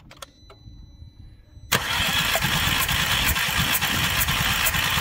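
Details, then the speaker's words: 2010 VW Passat with misfire, compression test cranking on jump pack: brisk, even cranking with steady matching compression pulses; all cylinders within spec; normal cranking. "we're good they're all within perfect spec so we get this last one"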